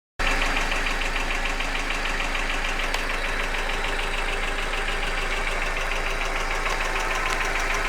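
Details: Hyundai Accent engine at idle with a sharp, regular tapping that quickens with engine speed; an internal knock whose source is not pinned down.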